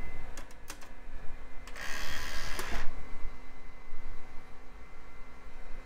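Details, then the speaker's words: Early-to-mid-2000s PC's aging CD burner reading a CD-R: sharp ticks, a short whirring spin-up and more clicks as it keeps seeking and can't settle on the disc; owner suspects the laser voltage needs adjustment. "yeah seems like it's struggling oh that looks mad I'm pretty sure we don't have it yep so either can't read cdrs or it can't read period"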